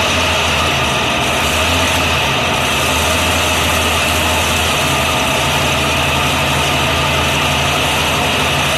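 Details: 1948 BMW 321 on its first start after 20 years, cylinders given WD oil a week earlier, carburettor not original, 12V electrics: smooth, steady idle with an even beat and no knocks or misses; normal idle.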